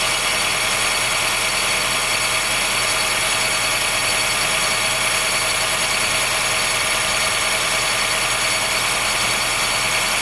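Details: 2013 Honda Fit Hybrid (FIT3, DAA-GP5, L Package), cold-weather squeal below about 10°C that stops after some driving; steady piercing high squeal over the running engine. Dealer found no warnings, judged it harmless; source still to be traced.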